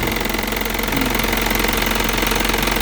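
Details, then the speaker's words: 2014 Isuzu Elf NKR71 long-chassis diesel truck idling with oil filler cap open, no smoke from filler: steady even diesel clatter, no uneven beats or puffing; engine sounds healthy. "kan semakin kencang suaranya semakin kuasar suaranya isusu apa khasnya isusu kan seperti itu ya"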